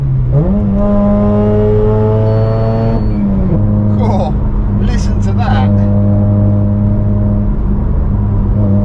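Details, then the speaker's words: Mazda RX8 rotary (13B Renesis) back on the road after 8 months sat in a barn, recorded inside the cabin. Loud raspy drone through a brief rev; the exhaust is far too loud to pass a track-day decibel test, though temperatures are fine. "that yeah that's far too loud there's no way no way that is ever going to be passing a deciel test on a track day"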